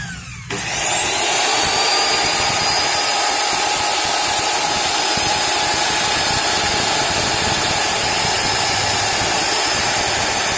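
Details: Modern M2600 circular saw bought broken as scrap, after new armature and carbon brushes: steady high even motor whine with no knocking, sparking crackle or speed dips; spins up cleanly and runs smooth.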